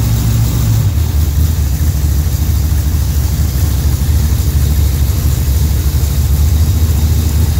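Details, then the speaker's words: Pontiac with a Rochester Quadrajet carburetor, idling cold during choke pull-off adjustment: deep, lumpy idle with an uneven, loping beat that smooths when the choke blade is pushed open. Rough cold idle from choke pull-off set too tight. "so if you have it too if it's too tight it's going to run rough it's not going to run smooth and you don't want it to do that"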